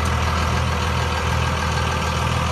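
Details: 2002 Dodge Ram 2500 4x4 with 5.9 Cummins diesel, six-speed manual, 113,320 miles: a steady, even low diesel rumble with no knocks or misses, level throughout; a healthy idle.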